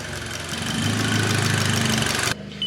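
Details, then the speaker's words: VW Golf GTI Mk5 after an engine rebuild, warm, before its first road test: a smooth, even idle after a quick blip of revs, with no knocks or ticks and a steady tone; normal idle. "it's ticking over nicely there"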